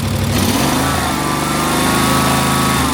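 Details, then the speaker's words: Snapper ZTR mower from 2005, 1,500 hours, revving uncontrollably before carb replaced; choke open, throttle moved, engine snaps up then governor pulls it back to steady speed, no hunting. "You can hear the governor pull it back down. It revs up real quick and it comes down."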